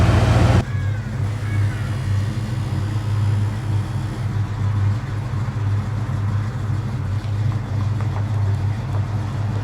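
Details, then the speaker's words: Bullnose Ford F150 V8 idling: steady low idle with a light fast clickety-clack riding on top; owner still doesn't know the source of the ticking. "i still don't know what that noise is that clickety-clackity"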